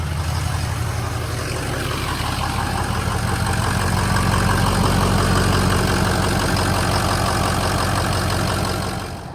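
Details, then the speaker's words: Diesel truck with 150,000 miles, idling just after first firing up; the battery needs charging: steady low idle with an even clatter of about three beats a second, no misses or knocks; a normal, healthy diesel idle. "She fired, boys. She fired. 150,000 miles. Slap out of diesel. We'll let her chill for a minute and go take her for a spin. Sounds good though."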